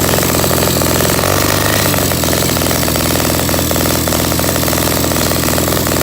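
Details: Project pit bike's small single-cylinder engine at its first start-up after carburetor work and a new fuel filter, with the choke on so it runs rich; a fast, steady popping beat that holds on without dying.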